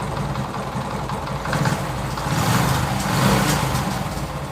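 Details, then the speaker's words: TVS XL100 (Super XL 100cc) moped single-cylinder idling after tappet adjustment, heard close up: steady fast even beat free of tappet clatter; valve clearance set right, engine smooth with no problem. "మనకైతే బండి అయితే పర్ఫెక్ట్గా set అయిపోయింది. మనకైతే ఏ problem అయితే ఏం లేదు ఇంజన్లో పడనేది. మనకు సౌండ్ అయితే స్మూత్గా వస్తుంది."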